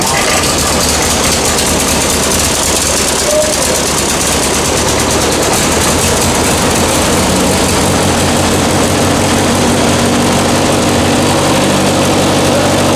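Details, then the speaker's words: V8 just started, on choke: idle with a rattly, irregular clatter about two to three beats a second, first suspected as the just-replaced water pump but found to be a loose engine fan. "There's some noise. Sounds like the water pump. Yeah, we just replaced the water pump. Dude, What? the fan is looser than a goose."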